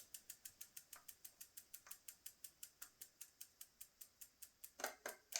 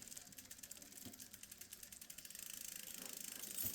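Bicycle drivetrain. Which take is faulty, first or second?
first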